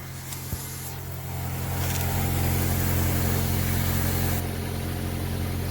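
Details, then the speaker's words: 2000 Honda Accord with no power from a clogged catalytic converter, after the cat was gutted and the O2 sensor refitted: smooth, even, quiet idle with no ticking, rattle or exhaust leak. "oh yeah sounds just like it should nice and quiet"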